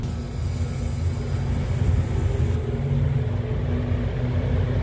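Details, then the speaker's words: Walk-in beer cooler at new-install commissioning, door opened: evaporator fan motors speed back up as the controller (Arctic Fox, LED on) calls for cooling; steady even low hum of fans, no rattle or scraping; normal evaporator fan operation. "all right so the evaporator fan motors sped back up because we're calling for cooling now"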